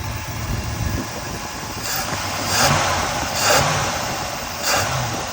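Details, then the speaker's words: Freshly rebuilt Chevrolet 350 small-block V8 in an El Camino, first runs after the rebuild, about 180 degrees, just under 50 psi oil pressure at idle on 20W-50: even idle with light throttle blips, no knock or tapping; normal idle. "So 2 things so far. I don't hear an engine knock."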